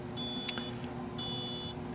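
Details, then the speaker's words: Wheelock Safe Path modular fire alarm panel: two half-second bursts of a high steady electronic tone from the panel's tone generator over a faint room hum, working normally. The panel can also be set to a chime. "can hear the tone generator for the Wheelock."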